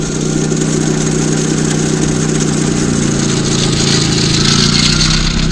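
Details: Honda Civic engine running but held in rev-limited limp mode, revs hovering and not climbing freely over a steady drone; distributor was replaced without fixing it, crankshaft position sensor code kept appearing, CKP later rewired to ECU.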